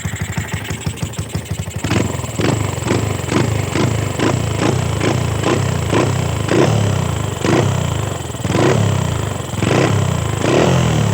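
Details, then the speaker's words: Used 2014 Wave 125R motorcycle with N-Pro carburetor: starts easily, a few fast pulses, then a steady, even low idle with no knocks or rattles. A normal idle. "อ่ะรถสตาร์ทติดง่ายนะครับพี่เดี๋ยวติดนะเดินเบาปกตินะครับ"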